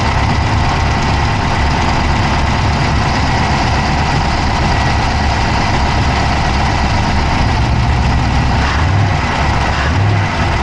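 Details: Dodge Charger Hemi V8 at a loud, steady idle, recorded inside the engine bay on the passenger side with an Insta360 Go3: fast, light clicking runs through it; a fast tick at idle, cause not yet pinned down.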